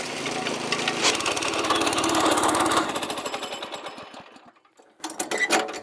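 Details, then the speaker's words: Small rented trencher digging an irrigation trench in rocky soil: a fast chopping beat of about 210 per minute suddenly bogs and fades as a rock jams the digging chain again in the same spot. "And another rock jammed it up in the exact same spot."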